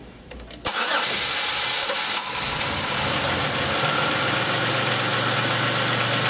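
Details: 2005 Chevrolet Impala after repairing shorted camshaft position sensor wiring and replacing the sensor (was P0335/P0520, long crank, cold no-start): brief crank, catches within a second, settles into steady even idle without stumble or stall; slight engine noise remains.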